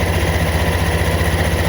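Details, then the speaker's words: Honda CVT scooter after CVT rework, first start: small single idling with a steady, even low pulse and a faint rough hum from the belt side; runs smoothly overall. "Oke, kita coba hidup motornya ya. Tunggu dungu. Halus K suaranya ada suara kotor-kotor."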